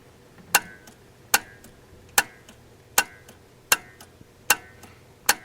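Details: AMC CEC-system carburetor Sol-Vac, engine off, wire tapped to battery: seven crisp clicks about every 0.8 seconds; solenoid pulls in properly, slightly nudging the push rod forward, working.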